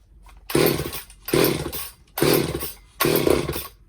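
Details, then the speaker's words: Old Craftsman two-stroke chainsaw found in the trash, after a Walbro carb rebuild, new fuel lines and the jets opened up: four short, rough bursts that each catch and die. "Oh, got a little blurp there. I'm gonna half choke it for a second."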